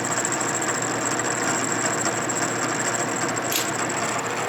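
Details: Spindle running before the cutter touches the work while lowering to the depth stop on a 1946 Harley knucklehead engine rebuild: steady high-pitched whine, no chatter or scraping; normal spindle running.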